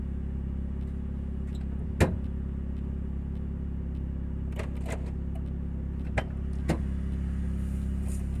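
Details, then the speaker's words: 2000 Nissan Altima driven on the road with a leaking exhaust: a loud, deep droning rumble with a pulsing throb and sharp pops, unusually noisy for a small car. "That noise is not usual for such a small car."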